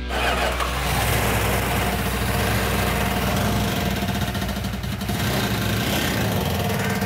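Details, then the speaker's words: Fresh 340 V8 in a Plymouth Cuda, believed sabotaged with sand, after a fuel pickup and sending unit problem: starts and settles into a ragged, stumbling rumble with missing beats. "That not sound good."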